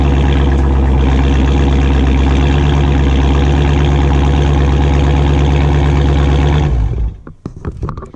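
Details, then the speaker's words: Dodge Charger Scat Pack V8, warm: deep steady rumble cuts off, then dry metallic creaks and ticks, owner thinks from the metal inside the active exhaust valve; exhaust creaking noise. "you can hear that little creaking sound the metal I guess inside for the active valve"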